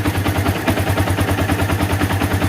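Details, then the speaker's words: Yamaha Vixion single after repairing rough chattering noise at left head near water pump housing, parts replaced and valves adjusted; steady idle around seven beats a second, chatter gone, slight rocker arm bearing tick remains. "tidak terdengar lagi ya suara gemericik di sini daerah sini baik jadi aman ya"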